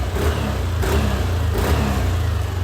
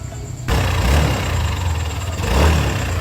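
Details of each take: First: Yamaha Aerox V2 after engine overhaul with crankshaft and camshaft bearings, new piston and block, revved gently: smooth steady hum, no knocks or rattles; noise perhaps slightly reduced, all good. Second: Yamaha Aerox V2 engine before overhaul: low uneven drone with rough rattle; crankshaft and camshaft bearings later replaced.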